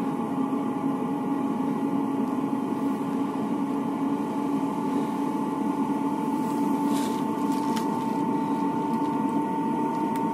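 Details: Webasto/Eberspächer-type diesel air heater in a van/camper, blower at full speed, no smoke from the exhaust: steady, even whirr; normal running.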